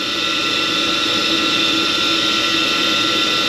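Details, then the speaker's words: Carrier furnace on a no-heat call: after the hot surface igniter glows and gas lights, the induced draft inducer motor runs with a loud, steady, high-pitched whir with a rough edge. Noisy inducer motor needing investigation; circuit board was replaced for the no-heat fault. "motor's not sounding too good thank you I don't like the way that motor sounded I'm gonna have to do a little bit of investigating on that"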